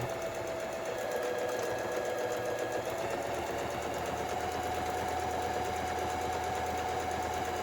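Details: Home sewing machine after repair: even, quick stitching rhythm with a steady motor hum and no clatter or catching; running smoothly.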